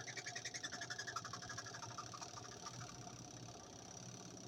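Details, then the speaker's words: Twin-tub washing machine spin motor with a load of wet clothes: whirs up, rhythmic thumping easing as it reaches normal working speed with no strange noises; normal spin under load. "como acelera ahí ya llegó a su velocidad de trabajo normal ven sin sonidos extraños"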